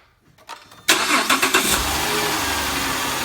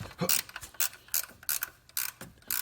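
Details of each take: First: 2010 Grand Caravan / VW Routan 4.0 L after greasing a noisy tensioner pulley and refitting the serpentine belt: engine catches after short crank into smooth, even idle with no squeal or chirp from the belt drive. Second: 2010 Dodge Grand Caravan / VW Routan 4.0 L with the serpentine belt off and the tensioner pulley spun by hand: sharp, gritty clicking bursts about three times a second. The owner suspects a dry, ungreased bearing; to be greased.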